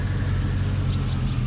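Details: 2003 Chevrolet Silverado V8 after a no-start was fixed by re-seating the side-post battery terminal (add-on amp wiring): a low, even rumble with steady pulses, no misses or knocks, a smooth healthy idle.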